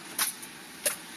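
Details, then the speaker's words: Toyota truck heard with the passenger door open on the starter side: two sharp single clicks at key turn, about two-thirds of a second apart, with no cranking; worn starter solenoid contacts, fixed by replacing the contact set. "so it just it clicks whenever I turn the key clicks again should start in a second come on"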